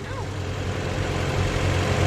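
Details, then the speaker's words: Mazda Miata with replacement engine, new clutch, rear main seal and exhaust manifold work: starts right up, steady even low rumble with no knocks, misses or ticks; normal healthy idle. "dang it starts right up dude this thing's running like a top"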